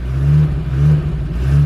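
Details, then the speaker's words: 1982 Porsche 924 Turbo started after storage with very little, largely evaporated gasoline, fuel pump priming: picks up cleanly through three quick blips and settles back; running and revving normally. "Yep. It's going to run, guys."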